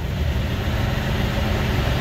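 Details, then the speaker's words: Cummins diesel at idle: steady, even low beat with no knocks or misses. Despite this, high radiator pressure indicates the cylinder head is cracked. Smooth idle. "pero yo creo que lo va a vender este compás y que se oye bien el motorcito muy parejito"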